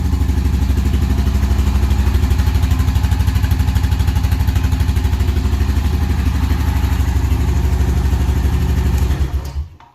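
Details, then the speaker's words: 2003 Honda Rancher 350 4x4 ATV, parked 17 years, carb float bowl cleaned: a steady, even idle thumping around three beats a second, no knocking or tapping, then a clean shutdown; normal idle. "engine sounds really good no knocking or tapping"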